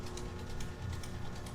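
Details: DC motor with compensating winding on a no-load acceptance test, field at nameplate voltage and armature voltage rising: light, regular rustling ticks about five a second over a steady low hum. The carbon brushes are not yet bedded to the commutator.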